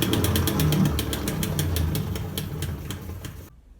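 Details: Brastemp 15 kg washing machine with a loose agitator drive coupling: rapid sharp knocks, about four a second, over a low motor rumble as it slips on its shaft. The machine has weak spin and poor agitation and makes a loud noise.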